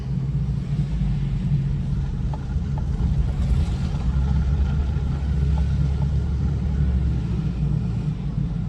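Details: 2008 Hummer H3 driving after four-wheel drive, which had caused popping and lock-up on sharp turns, was switched off: steady low engine and road rumble with no popping, binding or clunks; normal driving.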